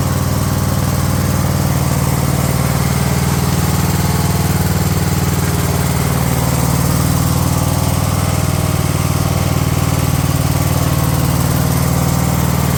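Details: Craftsman LT1000 riding mower single-cylinder engine on a rebuilt replacement carb after repairs to starter, deck and sump gasket; steady even beat around four pulses a second, no hunting or misses: normal running.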